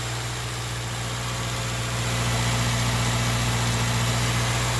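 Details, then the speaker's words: 2013 Subaru Outback 2.5L petrol, started after serpentine belt replacement: steady low idle rumble with an even puffing beat, about four pulses a second; exhaust leak noted. "Kind of exhaust leak, that's for sure."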